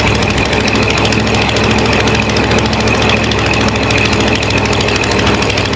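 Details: 500 cubic inch V8 in a donor car with AC, started using a hot shot: a deep, steady idle with an even, smooth beat and no knocks, ticks or misses. The engine is running healthy.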